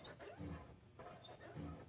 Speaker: Looks like this door here is actually rubbing right there when you open it.